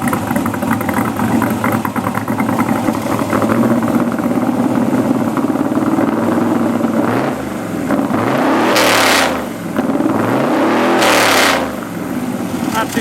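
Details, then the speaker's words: LS7 V8 S10 truck with new 3-inch exhaust: lumpy idle then two sharp revs crackling and popping, a little loud when letting off throttle; normal exhaust pops on deceleration. "a little loud when you let off."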